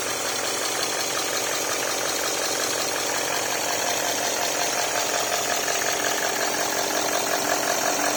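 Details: Range Rover Sport V8 diesel idling after oil cooler replacement, already run for an hour with no oil leaks seen underneath. Steady, even idle with a constant clatter-free hum and no misses or rising noises; the engine runs cleanly.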